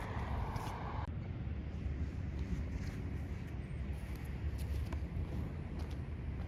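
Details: Yamaha YSR 50 two-stroke cold start on choke after months unused, with new crank seals and new 6-volt battery: quiet steady low burble, no knocks or stumbles, starting fine.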